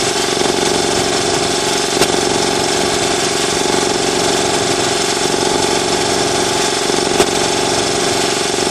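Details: New Ingersoll Rand TS4N5 80-gallon compressor, 5 hp 230 V motor, 15.8 CFM at 90 PSI, 175 max PSI, cuts in near 140 and off at 170 PSI: even, steady pumping drone with a smooth rapid beat, no knocks or squeals; running healthy, fairly quiet.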